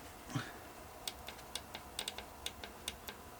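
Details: VW 1.9 SDI diesel junkyard engine, about 190,000 km: light crisp clicks, a few per second, from the injection pump fuel shutoff solenoid when powered; switching normally.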